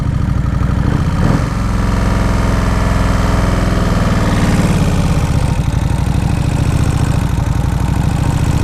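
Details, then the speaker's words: 2003 Kawasaki Vulcan 1600 V-twin on fresh gas, stock exhaust: loud idle whose speed rises and falls every few seconds instead of holding steady; no vacuum leaks found, cause unknown; idle surging. "There she's surging again. I looked around for any vacuum leaks. I really didn't see anything."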